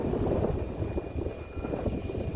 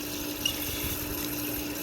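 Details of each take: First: Ditch irrigation pump with foot valve, outlet valve cracked slightly open during priming; uneven surging churn that dips then grows louder as trapped air purges; air-bound pump not yet primed. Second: Centrifugal irrigation ditch pump with foot valve after priming: loudens as trapped air clears, then quiet, steady motor hum with smooth water flow, no gurgle or surging; primed and running normally.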